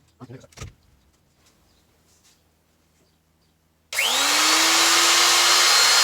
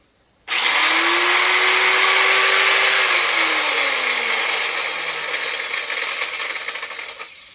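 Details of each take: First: Elu router after bearing replacement: after a quiet pause the motor spins up to a steady, clean high whine with no rumble or rattle; new bearing sounds healthy. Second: Elu Swiss-made 600 W router, 24,000 rpm: screams up to speed with a rough, gritty rasp then whines down coasting; worn bottom motor bearing, replaced with a 6003 NTN bearing.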